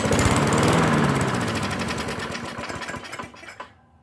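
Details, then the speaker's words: Riding mower sat four years, submerged in a creek bed yearly, mismatched carb parts, dried ethanol in tank, pull start: rough running with hard regular knock about four per second, fading as it coasts down; suspected connecting rod knock. "i did start it and it it knocked worse than jehovah's witnesses so the connecting rod hopefully is gonna get some something seep down into it"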